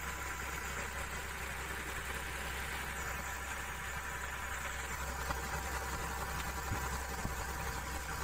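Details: Komatsu PC200-6 diesel excavator with black smoke and low power: slightly uneven, lumpy idle with occasional stumbles; injector number 3 sounds rough because it is leaking.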